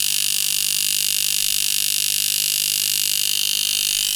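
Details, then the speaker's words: Rotary tattoo machine (Sidewinder V3R vs Poseidon V7 comparison) slowed to 3.3 volts: a slow, hard, even buzz of about four strokes a second with a steady high hiss; softer but still hitting hard, running smoothly and normally. "And as you can see, it's a little bit softer now, but it's still hitting really hard. And it's nice and slow for that whip shading, stippling, stuff like that."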